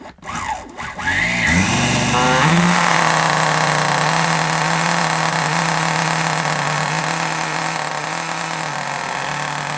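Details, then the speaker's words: Kyosho Mini Inferno ST 09 nitro, primed and started with a starter box: after starter whirs, steady high buzzing idle sitting a bit slow; idle speed too low, to be turned up slightly. "Bit too low. Let's turn it up a little bit. It was a little bit too low. I was trying to get the tick over just right."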